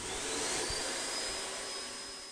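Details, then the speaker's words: Vacuum cleaner after disassembly and reassembly, previously weak suction and whistling: smooth even high-pitched suction roar with no whistle or surging; now working well. "Пылесос хорошо работает? Хорошо пылесос работает?"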